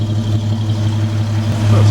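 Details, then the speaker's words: 1949 Frazer after fitting a new large muffler and tailpipe: deep, steady, even idle rumble with no misses or knocks and a quiet, smooth exhaust note; the engine runs well. "pretty good sounds like it's running well too"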